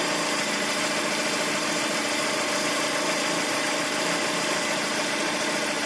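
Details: Lada Priora engine: loose, uneven tapping over steady idle, roughly two per second, coming and going, heard clearly after revving; an odd internal knock of unclear source.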